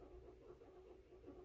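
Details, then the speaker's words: 2018 Ford F150 5.0L V8 cranking for relative compression test: weak, uneven beat; bank 1 (cylinders 1-4) low compression, out of timing; codes P0301, P0302, P0304, P0340, P0344; suspected timing chain, tensioner, guide, VCT gear or solenoid. "Engine sound is not much strong compression."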